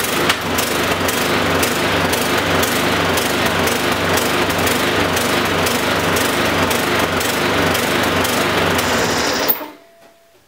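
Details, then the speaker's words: Briggs & Stratton 450E mower engine with plastic carburettor, surging/hunting at run: rough pulsing then cutting out, fuel-starved by a partially blocked carburettor jet (tiny emissions-spec jet); fix is cleaning or replacing the jet assembly. "let's give this a startup and I can show you the surging problem and I'm sure lots of you out there having the same problem"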